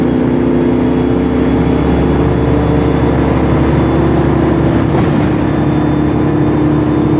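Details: Steady mid-pitched whine over low drive rumble, holding through acceleration, from a noisy rear differential on a 2007 MAN Lion's Classic CNG bus with MAN E2876LUH03 engine and Voith DIWA 864.3 4-speed automatic; Voith transmission noise also present.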